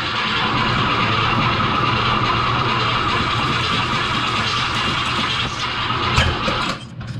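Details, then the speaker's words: New Summit/ATK 302 crate engine in a 1967 Mustang, first start attempt after priming the oil pump: long labored cranking whir with a scraping drone, nearly fires; new starter dragging, Bendix not retracting. "well it almost fired but the uh starters dragging so we gotta see if there's something wrong with a brand new starter"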